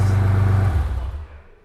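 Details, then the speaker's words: Audi 90 Quattro Sport from salvage yard, just started: deep loud raw rumble winding down as revs fall, unmuffled with only downpipe; missing exhaust. "It runs! If it had an exhaust, it would sound good too."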